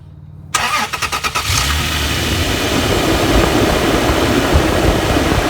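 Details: Toyota engine starting after replacing shredded serpentine belt idler and tensioner pulleys: cranks a few quick beats, catches and settles into a steady, even run with no belt squeal or bearing rattle; healthy start.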